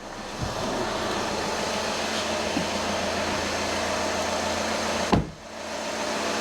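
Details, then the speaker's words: 2014 VW Passat 2.0 TDI diesel just after oil and filter change, idling unrevved to circulate oil; oil pressure light out at once, even steady idle with smooth low hum, one brief bump, no knocks or rattles. "It can take a little while to circulate, but straight away the oil pressure light's gone out and it sounds normal, so that's good."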